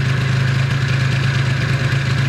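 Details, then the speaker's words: 50cc Stunt scooter with Stage6 cast kit, new Stage6 clutch and variator and new plug, idling: a thin, steady whine over an even idle; owner is unsure whether it is a bearing or the fan housing. "j'ai un petit doute si j'entends un bruit de roulement ou si c'est la volute qui fait ce bruit là"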